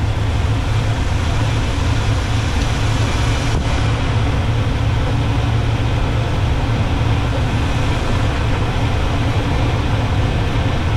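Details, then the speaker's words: Small-block 350 V8 in a C10 with a four-barrel carb, idle mixture being tuned. With one mixture screw backed out one turn from fully in, the idle picks up into a deep, even rumble with no stumble or hunting: a normal idle. "that's one back on tube you hear it really picked up there and smoothed out"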